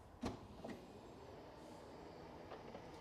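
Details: Crash-damaged Cat S Maserati being rebuilt, powered tailgate with electric rams: two soft clunks as the latch catches, then a faint even motor hum settling; tailgate closes smoothly and normally.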